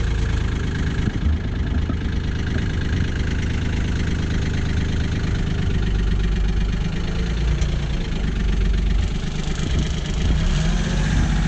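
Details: Kioti CK20HS diesel tractor, after glow-plug warm-up and cracking the injectors to bleed air, suspected of losing fuel prime overnight: steady low diesel clatter at an even idle, no surging or hunting; normal idle, owner still unhappy with the fuel pump.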